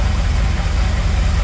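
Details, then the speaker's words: 1978 Dodge D200 big block 400 V8, 727 automatic, 100,000 miles, idling after firing order corrected: steady low idle runs great on all 8 but with a faint irregular tick, a weird little funky sound of unknown cause. "So I fixed it, got the firing order correct, and now look at this. Runs great. Still makes that weird little funky sound"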